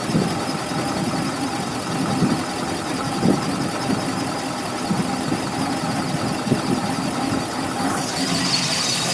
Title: Engine High Pitch Whine Noise 2